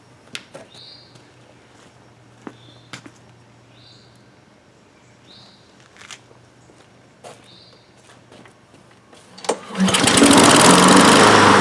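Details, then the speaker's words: Honda HRN 216 lawn mower with GCV 170 engine, after carburetor jet and emulsion tube cleaning and fresh fuel, air filter off: starts on one pull after quiet yard with birds, settles into an even, steady run; normal running. "Yes. Oh. Well, it's running again. We did it, and it wasn't that hard."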